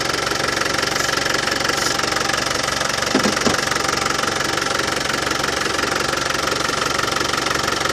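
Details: Land Rover Defender 200Tdi diesel idling after new power steering pump fitted, while bleeding air at steering box bleed nipple: even steady clatter, no rattle; new pump cured it.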